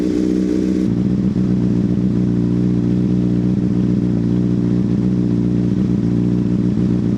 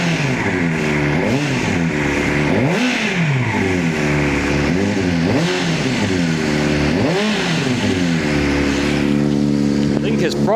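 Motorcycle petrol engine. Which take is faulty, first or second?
second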